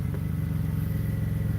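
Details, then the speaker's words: 2008 BMW 328i after alternator replacement, air filter out: a smooth, even idle with a steady beat and no knocks or misses. Tach steady, idling slightly high, possibly due to the missing air filter; normal idle. "But so far, it sounds pretty good. Yeah, it sounds good."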